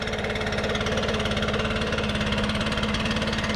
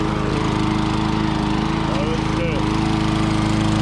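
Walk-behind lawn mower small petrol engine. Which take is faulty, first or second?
second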